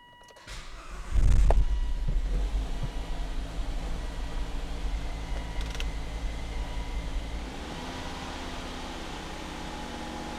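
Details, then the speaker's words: Volvo with CEM-1A5D / 902A fault, throttle body position not learned: engine fires then revs up and sags on its own with no pedal input, huffing like an ignition coil fault, only partly responding to throttle; idle surging from throttle body position fault. "i'm not even touching the pedal here it just revs by itself and it sounds like we have an ignition coil problem but it's because the throttle body doesn't specifically know where it is so that's why it's huffing and puffing like like it does now"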